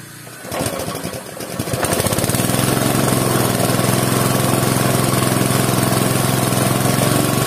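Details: Air compressor after a new valve spring and a repair of leaks at the breather and intake path to the tank, started with the tank fully empty. The motor catches after a brief stumble, then settles into a steady, even piston thump filling the tank; it runs healthy.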